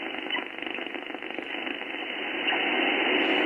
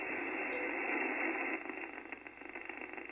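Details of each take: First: HF receiver, no shack earth, radio on a Mosley three-element beam: a steady rushing hiss fills the band and swells midway, raising the noise floor; interference noise of unknown origin. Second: HF radio receiving on 15 meters with a resonant antenna and the shack earth fully disconnected: soft, even hiss with no buzzing, ticking or crackling interference; the band is nice and quiet.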